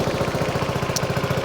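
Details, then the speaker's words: Honda Forza 125 scooter after starter-alternator replacement, idling: sharp puffing chuff on every firing pulse, about twelve per second; exhaust has a hole, exhaust leak, smoky, no engine management light. "exhaust's got a hole in it. Can't see it."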